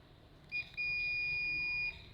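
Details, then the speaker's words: Dead, non-working welding machine being repaired: multimeter across two pins of a power transistor gives a quick chirp then a steady high beep of about a second, showing a dead short; transistor is blown: shorted power transistor. "This one is blown completely. You look at it. You look at it. You see it's blown already. See this one is blown."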